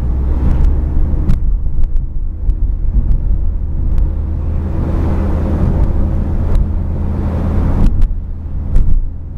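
While driving there is a constant low droning hum under the road rumble, the kind a worn wheel bearing makes.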